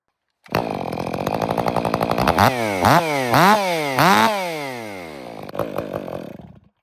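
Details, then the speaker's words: Stihl MS 500i chainsaw: it blips and revs, then at idle the revs sag and it sputters out as if out of fuel. "just like it ran out of gas there?"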